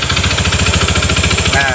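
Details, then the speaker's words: Honda BeAT FI scooter at idle with a noisy starter: loud, hard knocking about twelve blows a second, locked to the idle beat. Origin unsure, CVT or engine; it sounds like a loose piston. The belt was recently replaced. Finding: connecting rod knock. "Ini motor bersuara kasar di bagian CVT atau di mesinnya ya Saya belum tahu pasti suaranya agak melotok ya"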